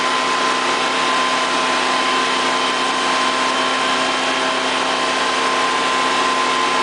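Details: Honda EV6010 generator after a no-start repair, running under no load: steady, even drone with constant pitch, no knocks or misses. Runs smoothly.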